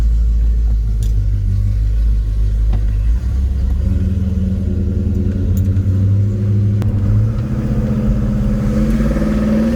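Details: 1972 Chevelle Malibu 383 V8 after fitting Doug's 1 5/8 x 3" headers and Flowmaster 2.5" H-pipe exhaust, pulling away on a drive: deep, loud rumble climbing smoothly in pitch; louder inside and out, deeper tone, more chop; normal healthy exhaust note.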